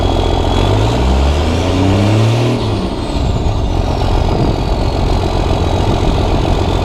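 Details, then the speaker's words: Cummins diesel, first start after five engine upgrades including new injectors and hot-rod VP44 pump: deep even clatter swelling smoothly with light throttle and settling to a steady idle, some black smoke; sounds healthy. "all right so it sounds really good"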